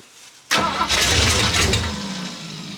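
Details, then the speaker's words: Classic Ford Mustang with a swapped engine, sat for years, cold day, sparks exposed, primed with gas poured into the intake: a rough burst of firing that sags and fades within two seconds; fires briefly but won't keep running. "Okay. Fired a little bit on the gas we poured in there. She trying?"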